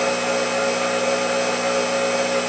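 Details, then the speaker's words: Motor that can turn a small generator, running with no load after an easy start: steady even hum with a clean high tone and no rattle or wobble; spins smoothly and quietly. "see how nice and quietly spinning and it started really easy see I can stop it and you will start no problem okay now see how smooth and quiet it is"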